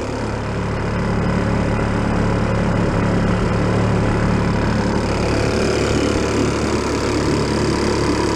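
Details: 1937 Sears Water Witch 2.5hp outboard, 83 years old, revived after about 60 years in a shed: steady, even drone under load on water, constant pitch, no misses or knocks, getting warm; normal running.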